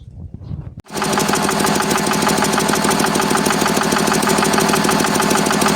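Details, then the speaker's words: Zubr 8 hp single-cylinder engine after rebuild with new liner, piston, crankshaft and radiator: on starting a hard, regular metallic knock about three a second appears; emulsion found in the oil, cause unknown. "Що вам хочу сказати, при заводке появився якийсь стук металіческий."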